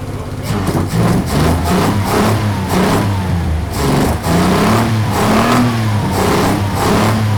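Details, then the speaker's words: Six-cylinder engine at first start on a project car, idling and blipping with a slightly lumpy, uneven beat; running on five cylinders because one spark plug lead was off when fired up, otherwise sounds sweet. "I think it was running on 5 for some of it. Well, it was because I had a plug off when you fired it up."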